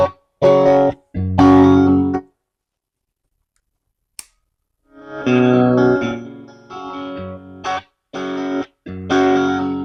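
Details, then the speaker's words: Valve guitar amp on the distortion channel, recorded on camera mics that struggle with volume: low notes come out loose, woolly and muddy while the highs stay clean. Flubby distorted bass, fault unclear. "okay we'll stop that yeah because on that Distortion channel that bottom end is ugly yeah flub is the perfect way to describe that"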